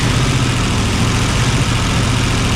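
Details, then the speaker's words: 1957 Ford Fairlane 500 V8 idling: low, lumpy idle with uneven beat and skip, same as before, running on six cylinders; two not firing, later traced to clogged ports on one side. "there you hear the skip now right y'all it sounds exactly like it sounded before"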